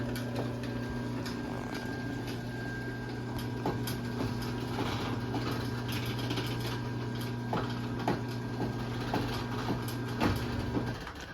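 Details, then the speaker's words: LiftMaster 8587WL chain-drive opener running on a rail on its large sprocket, with the chain set slightly tighter than usual: a steady, quiet motor hum with faint, uneven popping from the chain. Cause not identified. "So yeah, you can kind of hear the popping noises that it makes, but it is pretty quiet though. At least the motor is."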